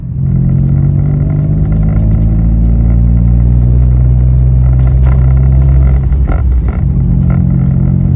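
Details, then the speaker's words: Citroen C1 (C1/107/Aygo) three-cylinder, repaired rusty exhaust with removable dB killer baffle pulled out, heard from inside the car: deep, heavy droning exhaust booming low at steady cruise, much louder and deeper than with baffle fitted. "inside the car it's a lot louder it's a bit lot deeper and a lot more drawn it"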